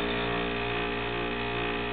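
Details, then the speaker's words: 10-year-old refrigerator compressor on its last leg: steady, loud droning hum with rough buzzy edge that never cycles off, a "death rattle"; worn out, near failure, replacement advised. "that's known as a death rattle but when you hear that out get yourself a new refrigerator or call me"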